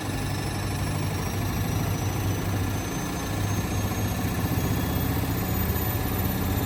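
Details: Indesit WIL143 washing machine on its final 1400 rpm spin: loud, steady low rumble with a droning hum held through the high-speed spin; strange noise from the drum drive, cause unclear.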